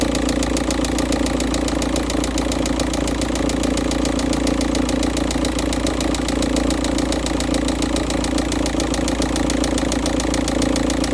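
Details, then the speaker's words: VW Touran 1.9 TDI, first-morning cold start at an engine temperature of 13.2 with cold, thick oil: hard, regular knock about twice a second over the diesel clatter; sump removal found the cylinder 3 big-end bearing gone; rod knock. "Okay, the oil is still cold and thicker, or it has a high viscosity. So as you may be able to hear the banging or knocking noise coming from the engine."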